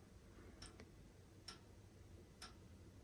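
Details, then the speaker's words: Home heating radiator making faint sharp metallic "ting" ticks about once a second in a quiet room; a new noise it did not make before; the cause is unknown and the owner is asking for advice. "чуєте який звук робить батарея оце Тинь Тинь Тинь Раніше вона так не робила зараз робить"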